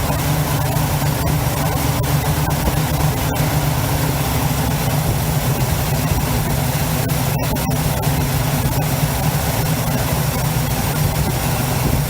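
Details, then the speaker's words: 1971 Chevy C10 V8, long yard-sitter, restarted after an arcing cable fire was fixed: deep, steady rumble, even beat, no knocks or misses, a little smoky, idles smoothly, normal healthy idle. "Sounds healthier now. This thing is gonna be a bad bitch. A little smoky."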